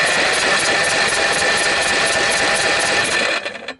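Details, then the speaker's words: Briggs & Stratton 12.5 HP L-head engine, corroded from mice nesting after years on a shelf: even rapid chuffing about three strokes a second while cranking, never fires; good compression, but no spark found, ignition coil suspected. "So just turning it over. Yeah, it sounds like she's got plenty of compression."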